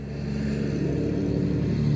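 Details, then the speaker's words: 2008 Acura TL 3.2, almost 200,000 miles, idling with codes P0300/P0302/P0303/P0305: low idle rumble with an uneven, lumpy undertone as cylinders 2, 3 and 5 misfire. Coil packs and spark plugs are to be checked. "read the code five misfiring three misfiring multiple misfiring it's two three and five are misfiring"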